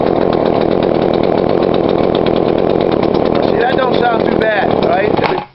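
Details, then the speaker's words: Poulan Pro 42cc chainsaw, before adjusting the carb low screw: steady high-rev two-stroke buzz, then it falls off and dies within a second. Stall, likely mixture-related. "And see, it stalled out on me in a little bit."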